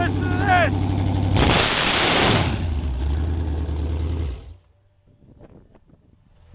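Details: Newly built street Chevy big-block, 10:1 compression, all forged, with a mechanical roller cam, destined for a 1980 Camaro: it barks through sharp revs, settles to a lumpy, choppy cam idle and shuts off cleanly; sounds healthy.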